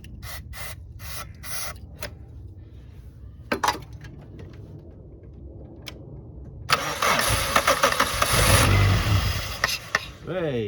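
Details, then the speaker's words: 1991 Suzuki Swift 1.6 AWD saloon with a carburettor, long stored: slow cranking pulses, then a rough two-second burst of firing on easy-start spray that dies away. Fuel is reaching the carb, so owner suspects old fuel, possibly with water in it. "that squirts fuel all over there so could still be a fuel in is shoe it is getting fuel could be just crap fuel could it"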